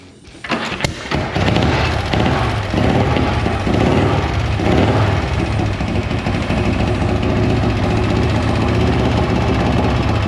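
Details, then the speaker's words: 1956 Harley-Davidson FLH Panhead after a fresh top-end rebuild, transmission seals and wiring work; cranks and fires within a second, then a strong, steady V-twin run with no knocks or missing beats, sounding pretty good. "That thing sounds pretty good."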